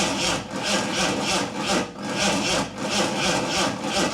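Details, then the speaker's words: Fake Aston Martin replica kit car, hot-wired starter test on long-stored engine: rhythmic whirring starter pulses about two per second, engine turning over freely without binding; cranking normal, spark confirmed next. "She turns. So now we know it will turn over."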